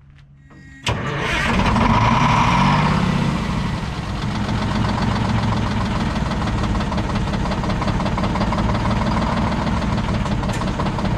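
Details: Old Detroit Diesel 6-71 two-stroke, last run before removal: cranks, catches and settles into a rough, uneven beat with a regular skip about four a second and heavy shaking; one cylinder not firing, dumping raw fuel out the exhaust.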